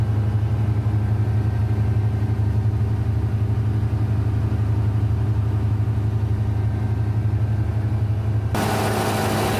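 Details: Denyo DCA610SPM diesel generator running after no-start repair, magnetic pickup and wiring tested good: steady even low drone, unchanging beat, no misses or knocks; running smoothly.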